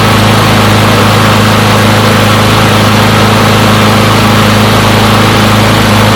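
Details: Push mower from a neighbor who said it wouldn't start; run to warm up after long disuse. Loud, even small-engine drone at one steady pitch with no misses or surging; runs pretty good; normal running.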